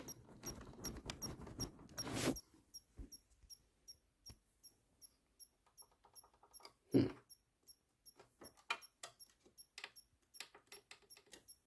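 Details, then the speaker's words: Xbox One S bought non-working and reassembled, on power-up: faint short chirps and ticks repeating irregularly, one or two a second, with no fan or hum. The power supply is chirping and nothing responds. "okay that's strange it almost sounds like a bomb it's about to go off okay hmm nothing is responding"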